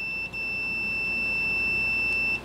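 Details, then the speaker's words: 12V 5-pin automotive relay bench test with power and ground on pins 85 and 86: relay clicks, then a steady two-second meter continuity beep across pins 30 and 87; relay good. "as soon as I touch it you can hear it clicking so you know that's a good thing"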